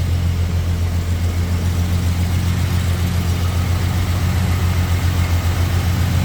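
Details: 1971 Jaguar E-Type fuel-injected V12, first start after a 2-year rebuild, throttle body unadjusted: deep idle with an uneven pulse, missing beats because three injectors were not connected. It ran smoothly afterwards.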